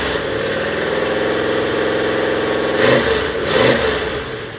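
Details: Original 400 V8 from a 1967 Oldsmobile 442, freshly rebuilt (new rod and main bearings, rings), running on an engine stand with a point distributor; smooth even idle with two clean throttle blips, no knocks or ticks; good oil pressure, 180 compression per cylinder.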